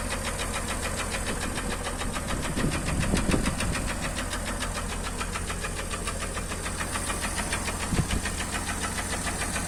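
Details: Acura MDX engine knock: a steady, fast ticking knock about three or four per second rides clearly over the idle; source unconfirmed.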